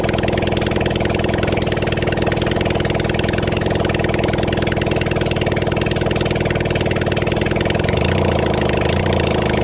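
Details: Kawasaki Zephyr 750 four-cylinder during restoration, outdoors, just after refitting carbs, with some choke, some fuel and a string throttle: runs by itself at a fast, fairly steady idle with a light uneven patter. Normal idle.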